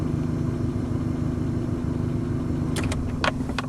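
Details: Modified carbureted KIA, lacking power, no dieseling: steady low idle hum with faint constant tone, no knocking or stumbling, a few clinks near the end; normal idle.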